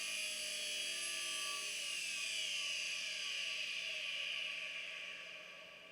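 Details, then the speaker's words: 1996 IBM RS/6000 43P model 140 computer. Raspy, high-pitched grinding whir from one of its internal fans, a dry bearing needing repair, alongside a healthy-sounding 9 GB SCSI hard drive. "I don't know if you can hear that grinding noise. That's one of the fans in here. I need to repair."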